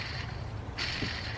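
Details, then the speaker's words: Nissan 300ZX Z32 at 120k service, timing belt job: hand-spun pulley gives a gritty, scratchy whir from a worn, crusty bearing, due for replacement. "all right here's one of the pulley that we will be replacing oh yeah that's uh kind of crusty you can hear the"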